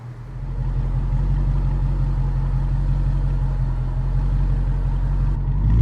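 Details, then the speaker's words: Flood-damaged auction 2007 Chrysler 300 SRT8 with the 6.1 V8, running after repairs: deep, steady idle with an even low burble and no knocks, ticks or misses. Normal, healthy idle. "Oh, that is so good. That legendary 6.1. Listen to that. Oh, it sounds so good."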